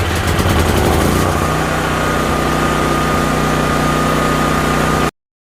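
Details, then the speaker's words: Used dual-fuel (propane or gas) generator, a bad computer still awaiting replacement: small single-cylinder engine at a steady governed speed, even consistent drone, no misses or hunting; running and working good. "But all in all, the generator's running. It's working good."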